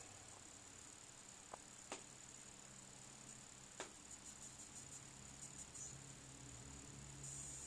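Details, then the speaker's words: Brand-new Apple AirPort Extreme Base Station (5th gen.): faint high-pitched whine with static-like buzzing clicks and crackles during Wi-Fi data transfers, fading once the transfer finishes; cause not identified. "Station fifth-generation a strange buzzing staticky clicking noise that occurs especially when large downloads are occurring"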